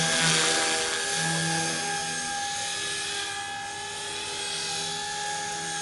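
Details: Blade 180CFX RC helicopter in flight: steady high whine over the rotor buzz at constant speed, squeal toward the end; bearings likely going out, to be replaced.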